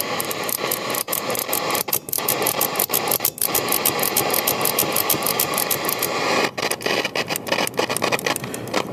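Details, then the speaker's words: European-made RCA Victor AM/FM/shortwave portable transistor radio, rusty and moldy: steady hiss with rapid crackling ticks regardless of tuning, from bad germanium transistors in the preamp. "This is bad germanium transistors."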